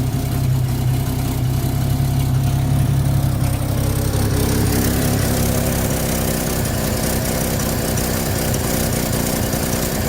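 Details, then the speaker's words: 1950 Chevy coupe after cleaning and a 3D-printed choke part repair, still warming up. Steady, even low idle with a smooth rhythmic pulse and no knocks or misses, sounding better the longer it runs; normal idle. "It does. She does sound really good. Oh, you can hear it as she runs a little longer. She sounds better and better."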